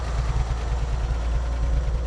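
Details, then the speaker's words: 1948 Chevrolet Fleetmaster from a junkyard, with no internal engine work done but the carburetor cleaned and a fuel pump fitted. It idles with a deep, steady, even rumble and no knocks, misses or hunting; normal idle. "oh yeah the idle's great little motor runs good for me not to have done any engine work internal"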